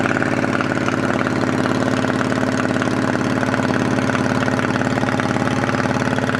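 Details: 2008 Yamaha V-Star 650 carbureted V-twin, spring 2014 first start after winter storage with fresh gas and carb cleaner, on choke: steady, even idle with regular loping pulses around three per second, no knocks or misses; normal cold idle.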